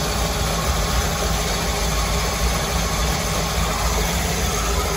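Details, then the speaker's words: Twin Crusader 350 marine engines in a Pacemaker 36 SF, after fixing overheating caused by broken belts and a torn hose: steady even idle with a deep rumble, no knocking, smoke or leaks; sounds good. "no knocking no knocking no smoke no leaks sounds good"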